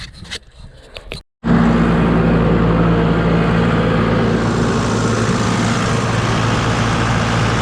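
After a brief start, the diesel settles into a steady, even idle with a regular low beat and no knocks or misses.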